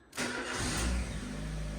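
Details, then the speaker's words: Ford Ka Tattoo Limited Edition bought from salvage, after starter motor and alternator replacement, engine oil in, accessory belt still off: quick crank catches at once and settles into a steady, even idle with no squeal or rattle; starting now much better. "That sounds so much better. Just straight away."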